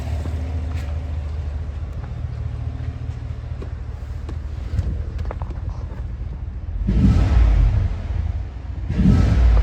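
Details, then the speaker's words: 2018 Cadillac Escalade V8 after DOD delete (BTR cam, LS7 lifters) fixing bent pushrod and collapsed lifter tick, new shorty headers and Magnaflow muffler: even idle then two clean throttle blips, no valvetrain tick, no codes, good oil pressure. "Nice and quiet. No codes. Good oil pressure."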